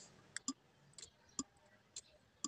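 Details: Mitsubishi Adventure that won't start, with no dash lights: sharp, irregular single clicks, about six in under three seconds, with no cranking. The battery is too weak to turn the starter.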